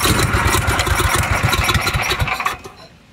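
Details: Coleman 5000 W generator with 10 hp Tecumseh engine, stored 2–5 years, choke on: catches on the first pull with quick even firing beats about four a second, then settles and fades; clean start.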